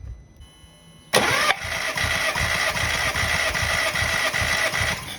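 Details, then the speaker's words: VW Scirocco 4-cylinder with an intermittent misfire at idle, cranking for a compression test with the high-pressure fuel pump unplugged: soft, uneven puffs at about three turns a second; cylinders 1, 2 and 4 read about 75–77 psi, cylinder 3 reads 99 psi. "So guys, we've got the compression test. You saw number 1, 2 and 4, they are bad because they are around 75,"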